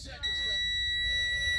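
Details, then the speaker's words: Truck in pre-trip inspection, in neutral with clutch depressed, key turned to on before starting: loud steady high-pitched dash warning buzzer at key-on while ABS light flashes on and off; normal key-on buzzer. "i am going to turn the key to the on position you're going to hit a buzzer"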